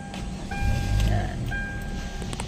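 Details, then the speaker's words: Hyundai Tucson after replacing a faulty blend door aircon actuator: engine starts and settles into a smooth low rumble, no knocking from under the dashboard. Quiet dashboard, no actuator knocking. "So wala na siya. Aircon natin yan. Wala na rin. So ano na siya? Ah tahimik na. Tahimik na mga boss."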